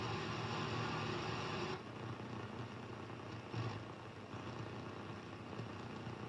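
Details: HF radio receiver: a steady hiss, then a sharp drop to a fainter hiss. Strange interference noise across the entire HF range except the amateur bands; the origin is unknown.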